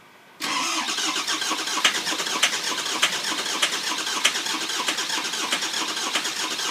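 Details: 2004 Ford F-450 6.0 Powerstroke bought non-running; had a coolant flush, two oil changes, new oil cooler and EGR delete after a leaking EGR, batteries fully charged. Cranks steadily for several seconds without catching: long crank, no start.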